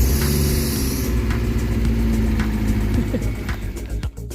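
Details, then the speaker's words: Kia Pride after cleaning and adjusting seized exhaust rocker arms that caused valve tapping; even low idle with soft belt whir, no top-end tapping left; valvetrain now quiet. "So ngayon tahimik na siya So maririnig niyo wala ng gaanong malagit"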